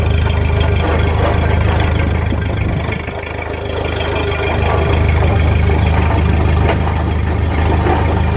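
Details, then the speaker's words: 1929 Ford Model A pickup on jack stands in gear: heavy, low rumbling clatter about three beats a second as the raised wheels turn; source unsure among transmission, driveshaft and rear end. "however it's making a heck of a racket it's either in the transmission or the with a driveshaft or the rear end one I'm not sure"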